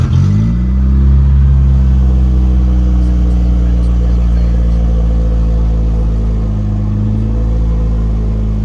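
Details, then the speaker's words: Ford Aspire at idle: a loud, deep, blatty rumble far heavier than stock, because the exhaust suddenly rusted all the way off while pulling away from a stoplight. "I go to leave a stoplight all of a sudden the Aspire sounds like a Harley the whole thing is rusted all the way off"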